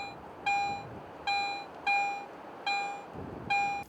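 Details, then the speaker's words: Garrett AT Pro metal detector in standard mode over two adjacent coins: five even mid-high beeps, one per sweep, each a single strong tone, where pro mode gives two peaks, adjacent targets merged into one signal. "in pro mode you can clearly hear two separate peaks of audio response when i switch to standard mode these two targets are often heard as only one strong target signal"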